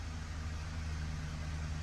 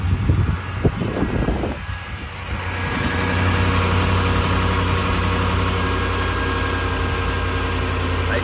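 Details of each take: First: Ford 5.4L 3V V8 after a timing job: deep, lumpy idle with heavy throb. VCT error is near zero, yet one whole bank misfires; bank 2 fuel trims climb to about +16–18%, suggesting lean, underflowing injectors. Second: Ford 5.4L 3V V8 after a timing job, cold start after sitting outside overnight at 39°F: cranks, catches and settles into a smooth, steady idle with no popping, misses or shaking as before.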